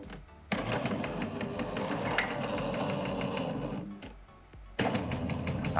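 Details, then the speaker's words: Jura E80 coffee machine brewing unit: coarse grinding gear-motor drone labours very slowly, pauses, then strains again; brewing unit running heavily. Machine also leaks, doesn't detect tray, error 8. "jak słyszycie że ten zaparzacz tak ciężko chodzi słychać że on tak bardzo powoli męczy się nie męczcie tego ekspresu"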